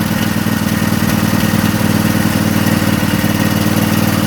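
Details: Craftsman lawn tractor twin, in neutral with some throttle: uneven lumpy idle about three beats a second with loping exhaust; still running on one cylinder, carburetor suspected leaking fuel.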